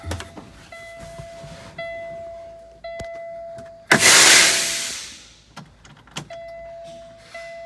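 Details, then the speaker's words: Kenworth T680/T660 after windshield washer motor replacement: short bursts of thin steady electric whine as the pump primes, then a rush of spray; washer pump works normally after the fix. "Let's see what happens here. I hear it trying to pump."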